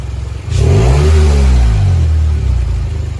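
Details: 2002 or 2003 Honda CR-V, 140,000-plus miles, before repair: throaty, raspy rev falling to lumpy idle with loose puffing note; exhaust leak from rusted muffler pipe, to be welded, plus broken exhaust manifold bolt replaced.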